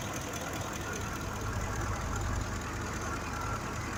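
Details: 2005 Ford F-150 5.4L V8 at idle: quiet idle with uneven stumbling low exhaust thump; misfire from a mechanically faulty fuel injector, scan showing no fault code, injector replaced.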